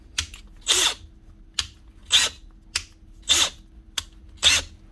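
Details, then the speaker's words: Makita DHP489 brushless cordless drill after fitting a chuck from a broken DHP458 and a full gearbox strip: five short trigger bursts, each a clean rising whir spinning down with no grinding or clatter; normal gearbox operation, speed selector now engages. "and also the gearbox will no longer grind gears when you're changing speed. It will go on each and every time now whenever you change the selector."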